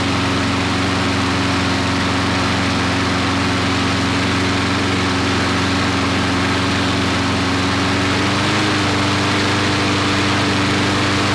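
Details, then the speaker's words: Briggs & Stratton 5-6 hp flathead mower engine, long-stored, after governor rpm adjustment up from 2160 rpm: steady high governed hum with one small settle near the end; leftover oil in the muffler from first startup; running at proper speed. "so it's running real good okay there's a little bit of oil left over in the muffler from the original startup this thing was stored a long time"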